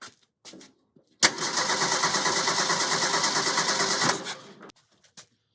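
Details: 1929 Ford Model A roadster pickup with a 1974 Pinto four-cylinder, about 39K miles, unrun for 10 to 12 years: fuel pump audible, cranks briefly, catches and settles into a steady even idle; starts and runs healthy.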